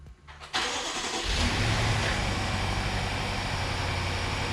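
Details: BMW F13 650i, N63TU V8, first start after an oil pump chain slack adjustment with the oil filter pre-filled: quick crank catches cleanly, revs briefly, then settles into a smooth, steady idle; normal start-up.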